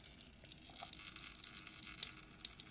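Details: Six-month-old Lap wall light switch arcing badly inside, irregular sharp crackles and faint hiss as current jumps its contacts; it was not sparking the day before. Replaced with a Click switch.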